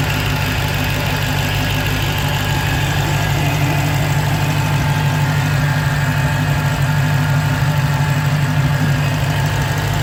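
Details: 2015 Dodge Challenger Hellcat supercharged V8 at idle: an even idle with a faint, steady high whine. The owner suspects the supercharger bearing is starting to fail; the whine is sometimes loud enough to hear from the driver's seat.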